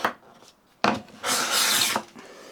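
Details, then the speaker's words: Stanley 12 1/2 scraper plane with the blade advanced about a third forward from roughly 1 mm protrusion: even, dry rasping strokes with no high-pitched squeal. It now takes finer shavings; normal cutting without squeal. "starting to hear that we're taking a shaving and it's not squealing, and you can see they're starting to get finer."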